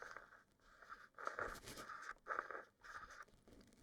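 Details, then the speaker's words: Cheap manual-only lens weighing 539 g, focus ring being twisted: dry, gritty scraping in short bursts with each turn, quiet gaps between; grating heard inside, owner thinks it is the bearings. "is a bit of grating going on inside there when you're when you're twisting it you can basically just hear the bearings"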